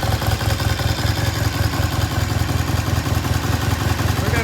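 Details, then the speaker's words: 1973 Triumph T100 twin after restoration, kick-started: even brisk idle thump, smooth and unbroken; runs well, idle a little high, can be turned down later. "the idle just a little bit High it can be turned down later"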